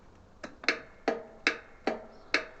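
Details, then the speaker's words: 40-year-old Lawn Flite MTD ride-on mower: key gives sharp dry clicks about every 0.4 seconds with no cranking; starter solenoid problem, diagnosed with a test light. "we just get a click and nothing else happens so today we'll try and fix this and see what's going on"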